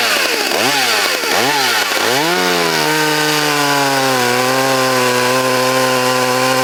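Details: Vintage Poulan Wild Thing two-stroke chainsaw, completely stock with safety chain, unmodified muffler and air cleaner, freshly sharpened chain and tuned, in timed log cuts: three sharp blips, then a steady high scream dipping slightly in the cut. It runs healthy.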